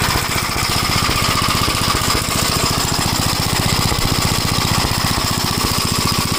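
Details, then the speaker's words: 1956 Gravely Model L walk-behind tractor running rough with irregular popping and smoke on a test drive; top-end problem and oil-fouled spark plug suspected, while carburetor and points are reported fine. "But you get you can hear that it's popping like the uh spark plug is getting fouled with oil."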